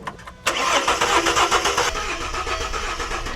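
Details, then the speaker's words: BA Ford Falcon XR6 on a jump pack. The starter spins the engine at an even cranking pace but it never fires, and the smart lock light is on. The immobilizer is active; the ICC unit is suspected. "Well, the starter motor's good, but we have a smart lock light, which means it's immobilized. It's not going to start."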